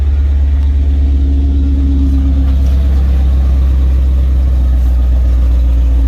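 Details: Chevy Caprice LT1 V8, cold idle, O2 sensors unhooked, old Super 40 or 44 dump mufflers: heavy, loud, uneven puffing rumble; big exhaust leak.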